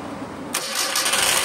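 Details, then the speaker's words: Mitsubishi Colt T120SS after starter motor repair (shifted part re-seated so armature spins centered): short light crank catching at once, starter now spins freely and engine starts normally; old battery of over 5 years replaced. "tuh Alhamdulillah setaker sudah ringan aman nah ini kendalanya tadi"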